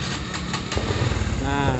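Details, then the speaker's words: Honda Revo Absolute fuel-injected motorcycle, started after cleaning spray during a light service: catches quickly and settles into a steady, even idle with no misses or rattles; engine sounds normal, only light service needed. "Hai mesum dia gambar ya terdengar dari suara Langsa mudah enak Maksude normal ya Jadi tidak perlu dilakukan service secara berat berada cuma servis ringan ya"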